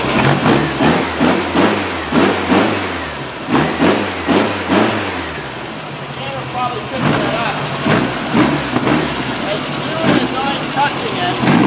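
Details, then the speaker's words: Freshly rebuilt VW air-cooled flat-four with header exhaust, electronic distributor and high-energy coil, in a 1957 Porsche 356 replica kit car, first start: lumpy idle and blips with slight backfire, flutter and popping because ignition timing isn't set yet. "there's a little tiny bit of a backfire and that's we don't have the timing set exactly right so there's a little tiny bit of a flutter and there's a little bit of a popping"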